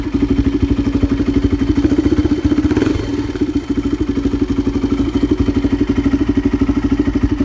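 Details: 2006 Polaris Predator ATV, which runs good and sounds pretty good; even single-cylinder thumping about three beats a second, no knock or miss: normal idle.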